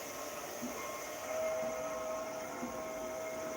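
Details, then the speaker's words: Hyundai Nexo fuel-cell car being filled with hydrogen: thin, steady upper-midrange whistle over a soft hiss of flowing gas; ordinary high-pressure dispenser fill noise. "it should be three three and a half kilos to go in oh my god makes horrible noises"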